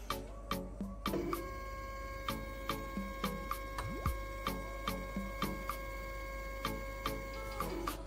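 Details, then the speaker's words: Homemade GRBL CNC controller (ATmega328/Arduino Uno, A4988 drivers) powered by 24 V adaptor: steady stepper hum with regular clicks as axis jogs back and forth, no stalling or skipping; normal stepper motion. "Oke, sumbu Y-nya normal teman-teman. Ya. Normal teman-teman ya."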